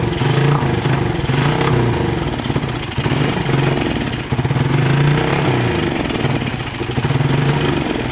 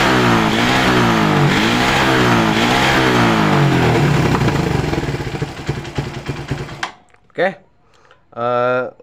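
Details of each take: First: Motorcycle carburettor engine sputtering unevenly when throttle opened, like too much fuel despite a cleaned carburettor; misfire caused by a loose spark plug cap, fixed by tightening the cap so it grips the plug. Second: Suzuki Satria FU 150cc motorcycle after fixing loose ignition coil cable connector: clean throttle blips, revs rise and fall smoothly with no stutter; normal revving, misfire fixed.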